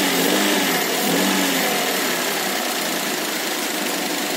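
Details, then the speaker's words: Daihatsu Ayla idling after water got into the engine, with the AC compressor switched on: steady, smooth idle with a constant hiss and hum from the AC load, no knocks or roughness. Cold air is felt and everything works normally. "Oke semua bekerja dengan baik saya benar tanpa ada masalah Hai kompresor kita rasa dinginnya ada terasa"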